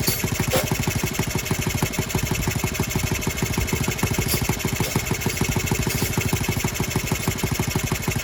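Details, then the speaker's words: Restored Honda Z50R on first start, muffler on, no choke. Steady idle with a quick metallic rattle on each firing, about three a second; cylinder head is loose and leaking, with head bolts to be tightened. "out of there we got a cylinder head leak yep cylinder heads loose well that's fun"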